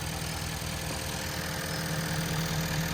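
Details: 2011 Ford F-350 6.7 Powerstroke diesel, pinched CCV hose found, hose refitted: steady even idle with low regular chatter, no knocks or hiss, no excess crankcase pressure; normal idle.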